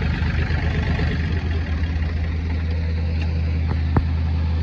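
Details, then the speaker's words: Ford Industrial 420 diesel backhoe, reportedly unused a month or two, held at high idle with a rock in the throttle: deep steady smooth diesel drone, no knocks or misses; healthy. "Sorry about that loud son of a bitch running, but I had to put the high idle on, aka stick a rock in the throttle."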